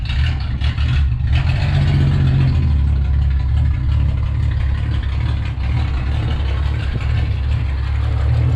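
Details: 1962 Ford Falcon, Ford 200 inline six, after oil pan and motor mount work: deep unsteady idle around two beats a second, hunting and lumpy; rough running, owner suspects tune-up, dirty carburetor or fuel pump.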